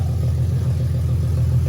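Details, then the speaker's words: Lexus IS300 rebuilt engine, stock internals, first start after almost a year: deep, steady, even rumble with no knocks, ticks or misses, oil pressure present; runs smooth and healthy. "It runs. That was a huge success right there, dude. It sounded good."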